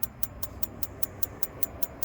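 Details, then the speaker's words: Atwood RV propane water heater, thermostat wired directly, blown fuse bypassed: sharp, even igniter ticks about five per second over a faint propane hiss, no burner whoosh; igniter sparking but gas not lighting properly. "It is sparking back there, so I can hear the propane. It's just not lighting the propane."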